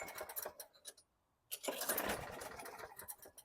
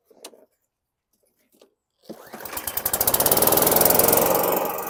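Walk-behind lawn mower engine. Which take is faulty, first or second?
first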